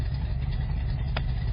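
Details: Freshly rebuilt engine with carburetors, first start, idling in the car: a steady low, even rumble with no knocks or misses, settling into a smooth, healthy idle.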